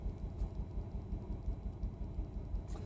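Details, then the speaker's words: Volvo XC90 T5 five-cylinder idling and chugging, seemingly missing on at least one of five cylinders: an uneven, lumpy chug about three beats a second. "and then this morning when we went out to go to visit friends, the car started to chug, and it seems like it's missing on one cylinder, at least one cylinder of the 5."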